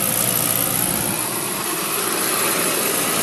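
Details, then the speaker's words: Beckett oil burner with flame retention head, fired after nozzle discussion (GPH and spray angle). Steady, even roar with a bright airy hiss and no pulsing or sputter: it lights and holds a clean, stable flame. "Okay, there you go. We fire it up."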